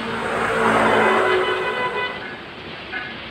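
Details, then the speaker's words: Honda PCX 150 that would not crank on the starter, after replacing the 5-pin starter relay: engine catches and revs quickly and smoothly before settling; starts cleanly, with the faulty relay confirmed as the cause. "Oke, ini udah saya nyalahin, ini langsung nyala. Dan ternyata penyebab utamanya itu di bagian relay kaki 5-nya."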